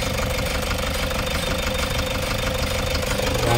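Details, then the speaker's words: Toyota HiAce 3.0 diesel at about 2,668 on the odometer, strong engine vibration: uneven, shaky idle with a lumpy knock over the drone; misfiring injectors, two cylinders not firing. "meron tayong High na 3.0 sobrang lakas daw ng vibration ng kanyang makina ito yung iche-check natin ngayon mga bossing kung ano naging problema nito"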